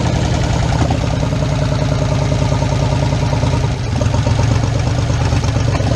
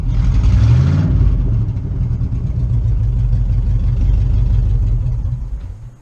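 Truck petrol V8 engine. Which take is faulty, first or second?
first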